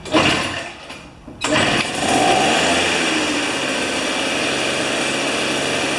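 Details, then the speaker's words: Old two-stroke snow thrower, sat unused for years with old fuel, spark confirmed with a neon indicator, RJ19LM plug. Carburetor cleaner poured into the plug hole; after a pull it catches and buzzes high and steady, running longer than expected on the prime. "Well, that's pretty cool. It ran longer. It ran longer than it should have for the small amount of carburetor spray I poured in there."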